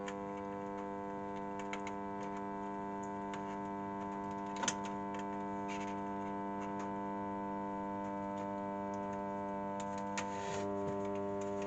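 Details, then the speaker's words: Sound Belle valve tape recorder: a steady low hum with a stack of even tones comes up once the valve warms, stops when switched off, and ignores the volume control; mains hum blamed on failing smoothing (filter) capacitors. "as soon as any uh as soon as anything goes comes onto it you get that noise but as soon as switch it off we don't get anything now how we note that this is a smoothing caps"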